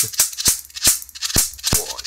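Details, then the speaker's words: Mitsubishi Diamond Plus 93 SB CRT monitor, flyback with built-in capacitor tested in circuit. Sharp hiss-cracks about every third of a second, steady strong arcing approaching an inch (about 25–30 mm). The flyback appears to be working properly. "pretty good ones that's got to be like getting on for an inch you know some of these seems to be working anyway"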